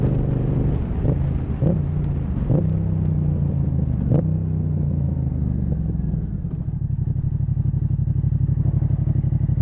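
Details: Yamaha MT-07 twin with Zard exhaust riding on road, sharp exhaust pops and cracks (backfires) as revs change in 2nd, 3rd and 4th gear, attributed to the Zard exhaust.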